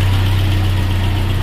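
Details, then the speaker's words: 1996 Nissan Hardbody pickup, carbureted Z24 four-cylinder, restarted after a carburetor overhaul and sitting four years. Smooth, even low hum with no misses, knocks or hunting; it idles cleanly and steadily. "so now it's okay and it's starting back for a long time since this car was expired for four years and i just decided to run it again"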